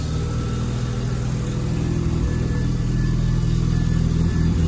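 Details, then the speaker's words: Mazda FD RX7 on base tune, idle being adjusted with a screwdriver, AFR around 10–11: steady fast idle with even low drone creeping higher; idle too high, owner suspects throttle position sensor wiring. "idle seems too high now oh but the AFR has gone down to 11 or up to 11 so maybe we're just going to be idling at [ __ ] stupid high"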